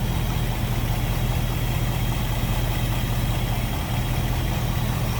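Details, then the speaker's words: 1955 Ford Fairlane Crown Victoria V8 with Edelbrock carb and front pusher fan, idling, heard at the front with hood open then at the rear; deep steady rumble, even beat, no ticking, misfire or knock; normal healthy idle. "Sounds good. Slip around to the back, maybe hear it a little bit better now. Like I said, no crazy exhaust, just a nice little deep throaty exhaust note."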